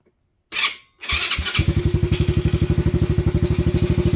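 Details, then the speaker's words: Venom Madix 125 quad with persistent PZ20 carb problems, after cleaning and taping wiring away from exhaust: fires and settles into a steady, even idle with regular firing and no misses; runs much better, though a rattle remains. "She runs actually way better now."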